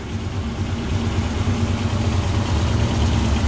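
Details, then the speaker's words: 1982 Toyota Corolla TE72 at idle on its old Weber carburetor, which is missing bolts, runs rich and is hard to adjust; this is before it is replaced with a new Weber. Low, lumpy, uneven loping idle. "so um it's running kind of kind of rich kind of weird and it's really hard to adjust just all jacked up"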